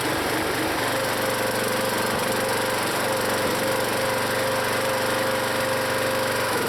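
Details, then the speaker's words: Log splitter's small engine, always rough-running (owner plans to add Seafoam), chuffs unevenly and sags whenever the hydraulic piston is pulled back under load; engine bogging under load, cause unknown. "I think you hear the engine bog when I pull that piston back to that point so that I don't get why that does that"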